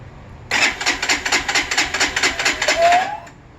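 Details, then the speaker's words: New freshly assembled fuel-injected Lifan KPR 200 motorcycle, first start attempt, clutch in, fresh fuel: rapid dry clicking, about four to five per second for three seconds, no firing; abnormal cranking noise. "that's a weird noise let's try it again"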